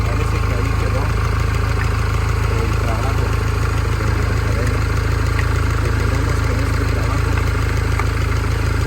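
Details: Mini Cooper S R56 after timing chain replacement: steady, even petrol idle with a smooth low rumble and no rattle or tick on top; healthy.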